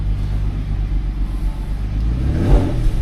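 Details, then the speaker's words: DSG car checked for a suspected timing chain rattle, with the chains reportedly already replaced: a smooth deep rumble rising with the rev and settling back, with no metallic rattle at any speed; the engine sounds healthy. "And it didn't really sound like a rattle, to be honest. Sounds good."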